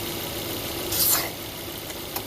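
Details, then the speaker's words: 2006 Volvo S40 at idle, running lean with engine light and oil leak: steady airy hiss of air sucking in, rising briefly; vacuum leak from torn PCV crankcase ventilation diaphragm behind oil filter housing. "not supposed to make that noise and what it is is this pcv system down here a crankcase ventilation system"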